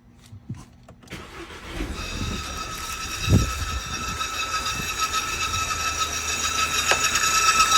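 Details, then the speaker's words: VW CC 2.0 turbo after start-up: steady high electric whine over the idle, mistakable for a failing fuel pump, traced to the electric pump's fuse. "طبعا محرو يعني مشكله تفتكر ان بيرن طرمبه بنزين حاجات ثانيه كثيره يطلع في النهايه فيوز الرمب الرمب الرمب الكهربا"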